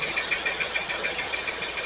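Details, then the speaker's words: Pontiac Firebird V8 first started after fuel tank install: uneven, stumbling idle with a regular missing pulse; number 8 cylinder dead, possibly a plug, another cylinder weak. "It's not great, but that one's firing."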